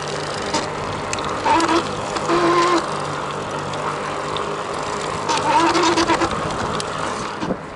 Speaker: when the motor's kicking in it oh God and the Cadence is just a bit slower than the the motor under torque and under throttle there's no noise whatsoever but when I let off pedaling you can hear it spin down and then when I start pedaling and if I don't go as fast as the motor wants to go you'll hear it